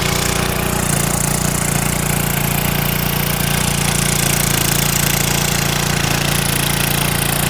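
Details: 1970s Hahn Eclipse BHT-120 tiller, 3.5 hp flathead Briggs & Stratton, revived after sitting for years and tilling wet dirt after rain. A loud, steady single-cylinder beat holds under load with no misses or knocks. Healthy engine under load.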